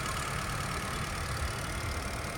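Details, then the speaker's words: Company-maintained 2017 Honda WR-V, pure petrol i-VTEC engine, second-hand: smooth even idle with steady low rumble, no knocks or ticks; engine in very good condition. "Engine પણ ચાલુ કરીને જોઈએ આપણે. ચાલુ જ છે"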